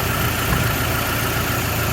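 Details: Toyota Hilux 2WD truck idling after fixing an exhaust leak under the block-off plate (loose and missing nuts): even, smooth purr with a steady low beat and no puffing or ticking, quiet like a sewing machine.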